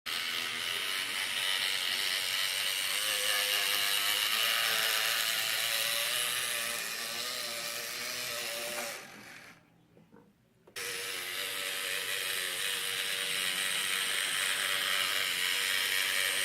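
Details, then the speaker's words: Atlas GP9 model locomotive after a decoder was installed: the motor whirs loudly with a ratchety buzz pulsing about four times a second, caused by binding bushings. "what's pretty good except that frog is and but it's pretty loud and so I'm gonna see if I can fix that"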